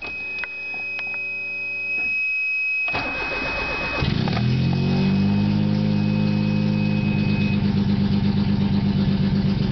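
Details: 1991 Geo Metro cold start: cranks and catches, then fast steady tick about four per second over idle with faint whine; possibly lifter tick.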